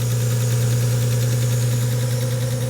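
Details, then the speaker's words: Long-neglected car, just started and warming to circulate oil; steady idle with a faint light tick, quieter than at start, cause not pinned down; fuel leak at a clamp noted. "It quietened down a little bit. We still got a little tick. It doesn't sound too bad."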